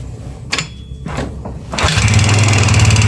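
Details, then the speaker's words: Yamaha Xeon GT 125 FI scooter, rerun after CVT parts swapped: rough, heavy low knock at idle, three or four beats a second, from the engine; suspected connecting rod or piston pin, with radiator coolant found mixed in oil. "bisa didengar suaranya ya dari saya pastikan memang suara bagian mesin ya bisa bagian suara stang atau pen piston ya karena dia ada kebocoran apa radiator"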